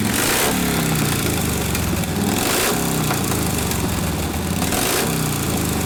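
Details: 1952 Harley 74ci panhead, fresh top end, rebuilt Linkert carb, no choke: loping V-twin picks up unevenly on throttle roll-on and stumbles below about 1500–1800 rpm; mixture screw only 3 clicks between lean and too rich, set in the middle.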